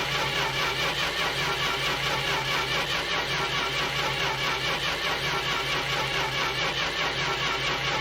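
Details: Starter cranks in a steady pulse, about two beats a second, but the engine never catches on this Corris Rivet; cranks but will not start.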